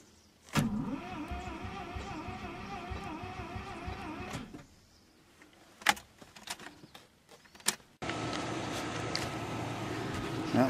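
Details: Mazda RX-7 not yet running, fuel pump relay jumped to force pump on, pump not heard: labouring starter whir wavering about four times a second, turning slowly without firing; battery too weak.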